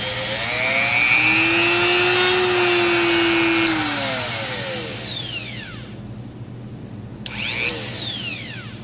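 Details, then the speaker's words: Rotary tool at higher RPM after cam/washer adjustments: high-speed whine climbing and winding down with rough, uneven edge; vibration, owner suspects the accessory piece (not the collet) doesn't spin true, possibly bent. "so you can hear that at the higher RPMs [Music] oh yeah [Music] that was vibration"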